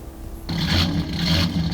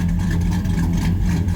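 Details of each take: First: Truck with an aggressive camshaft, tuned with HP Tuners, in closed loop with fuel trims near -15%. The engine settles into an uneven, loping, choppy idle that worsens. It runs rich; the fix is removing about 20% fuel from the VE table. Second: V8 truck with an aggressive camshaft, after idle retuning with HP Tuners: deep, steady idle around 700 rpm with an even, unbroken lope and no misses or knocks. Fuel trims are near perfect; clean idle.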